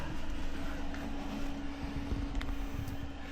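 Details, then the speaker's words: Planar Autoterm 2kW diesel heater newly installed in ambulance, first run after priming fuel system: steady even roar with constant low hum, no surging or popping, no smoke, warm air output; normal clean combustion. "Nice and quiet. You hear it? Sounds like an airplane. It's burning really well."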